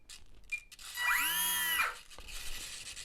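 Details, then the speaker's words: E-flite Radian UMX ultra-micro RC trainer plane, AS3X gyro activated by applying throttle: short high whirring bending up and down in pitch as the servos make small elevator and rudder corrections; normal AS3X servo chatter. "if you can hear that chatter that is the as3x doing very small control inputs to the elevator and Runner going up and down is simulating turbulence and so that chatter is absolutely normal"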